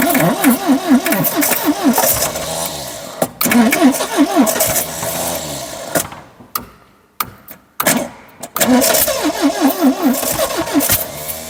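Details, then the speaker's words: 1972 Triumph Dolomite 1850 barn find, off the road for 34 years: steady starter cranking with uneven firing pulses that nearly catch but won't hold; crank no start from fuel starvation, fuel pump stuck, probably rusted. "this one seems to be stuck I think probably rusted in so I need to get a new fuel pump but I'm pretty sure I still can start it because it's almost started"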